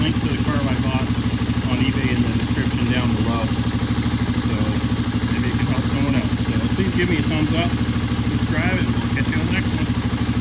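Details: 1985 Honda ATC 350X single-cylinder, hot, after fitting a 400EX carburetor: even steady thumping at about three beats a second with no knocks or misses; normal idle.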